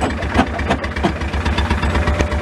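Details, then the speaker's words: 2016 John Deere Gator XUV 590i, 1,777 hours, said to be locked up, jump-started: rough idle with steady low thumping and clattery knocks; engine noise from an internal problem of unknown cause. "We jumped it. They said it was locked up, but we jumped it and it's running, but it is making some engine noise."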